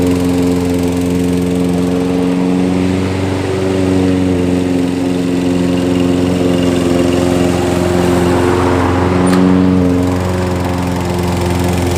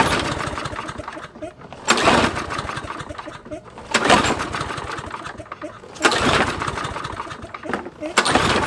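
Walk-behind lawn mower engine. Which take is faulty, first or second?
second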